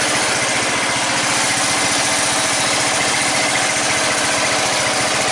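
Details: 14.5 Briggs & Stratton single-cylinder lawn tractor after a no-start fix with a new fuel line, running with the breather on; quick, steady putter with an even beat and no misses or surging; normal idle.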